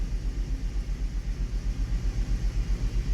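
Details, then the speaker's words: Hummer H3 engine idling with one ignition coil unplugged to simulate a dead coil: engine rattles, uneven pulsing shake about four times a second, more vibration, and a weird dip when accelerating; misfire and rough idle. "you can hear the engine actually rattling i guess one of my tools just dropped down so there is a bit more vibration on the engine and the engine got that weird drop down when you give it a bit of acceleration"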